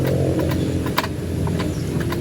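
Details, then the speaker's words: Suzuki Burgman Street scooter over rough ground: sharp single click from the left side at each pothole; loose kick-start bolt that keeps loosening, fix with a nut under the bolt, else the kick-start gear may damage the drive face. "bawat lubak na madaanan niyo is may lumalagutok talaga ng ganito yan sa kaliwang bahagi"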